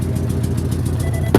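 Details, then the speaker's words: 1998 Ford Ranger XLT Extended Cab, about 197,000 miles, at idle after start: sharp, slightly uneven puffing ticks about seven a second over the engine rumble, from an exhaust leak; the truck also still has a misfire. "and yes it does have the misfire still sadly and exhaust leak"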